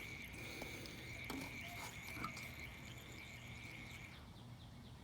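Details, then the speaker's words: Toyota Prius, 426k miles, overheating with a small head gasket leak, cooling system pressure-tested to 13–14 PSI (spec about 1.1). Thin, steady, high-pitched hiss of air leaking from the loose bleeder valve; it stops when the valve is capped. "look for leaks and it turns out that my bleeder valve here is actually leaking air see that sound you hear that sound"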